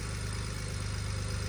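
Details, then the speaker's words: BMW 335i idling after vacuum pump replacement (clutch and alternator pulley also changed earlier), owner unsure he hadn't disturbed timing: steady even low idle, smooth unbroken rumble, no ticking or knocking; sounds way better, normal idle. "that just sounds like a car [Music] bruh this sounds way better"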